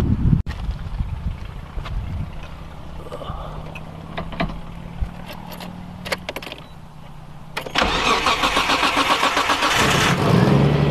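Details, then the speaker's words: Nissan S13 engine start after an oil change, fuel filter change and readjusting the downpipe V-band to stop an exhaust leak: it catches after about eight seconds and settles into a steady, even idle with no obvious leak tick. "oil change is done fuel filter has changed I can see that where the exhaust leaks coming from the downpipe on the v-band I loosening it up adjusted it and tighten it back down so I'm gonna start it up and see how it sounds"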